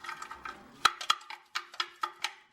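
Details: 1988 GMC C1500 truck, muffler cut off and shaken: irregular metallic clanks as something loose tumbles inside. The owner suspects a backfire broke it loose, and it made a rod-knock-like sound when running; loose internal baffle rattle.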